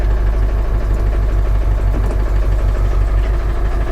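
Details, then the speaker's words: Ford F450 7.3L diesel auction truck with five-speed manual, jump-started cold; heavy low idle thumping about three times a second, slightly uneven, not running right, cause unknown. "she's running it's a little cold out so she may need a minute to she may need a minute to warm up guys that's an interesting cluster of gauges there that's all I can say and she's not running right"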